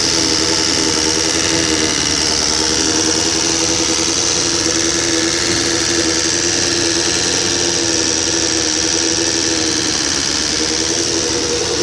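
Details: 1999 Suzuki SRAD 750 just rebuilt with high-compression 600 head, valves adjusted: fast light metallic ticking over a steady buzzy idle; owner suspects the cam chain tensioner, source unconfirmed.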